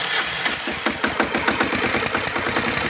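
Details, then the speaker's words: Acme Motori ADX 740 diesel, unrun for over 10 years, with new fuel filter, injector pumps and injectors removed and refitted, and fuel pump bypassed: rapid uneven chugging, irregular knocks, harsh clatter, heavy smoke; rough running, cause unknown. "So, I bypassed that, ran the fuel line over and it's still blowing smoke and sounds like it's killing the engine."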